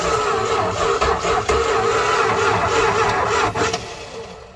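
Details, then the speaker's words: 1968 Dodge Charger engine stored 40 years in a barn, cranking with fluid worked into the intake: starter churns steadily with a few sharp coughs as cylinders try to fire, never catches; almost starts. "yeah we just gotta work some fluid down into the intake see how she'll cough ing"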